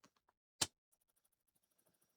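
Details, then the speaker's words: Power supply for an Acorn Archimedes A420/1 being converted to 120 V, current limit lowered from 3 to 2 amps: faint fast ticking about seven or eight per second between louder clicks; supply outputs some voltage but won't start. "Now it's not starting either. You can see it's supplying some voltage, but it's unhappy."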